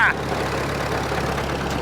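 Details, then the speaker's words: Flatfender Jeep just restarted after fender and fuse block install, cooling system still unfinished: steady low idle with even, unhurried exhaust pulse and no knocks or misses; runs smoothly. "did you hear it run thing runs so good"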